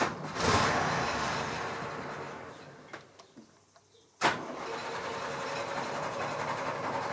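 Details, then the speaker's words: Series 3 Land Rover after swapping in an original rebuilt Zenith carburettor, hand primed: fires, fades and stumbles out, restarts, then holds a smooth steady idle; runs well, though throttle linkage still poor. "perfect the throttle linkage is still hot garbage but the carburetor wow i haven't touched this and it's almost perfect so it's nice that it runs really well now"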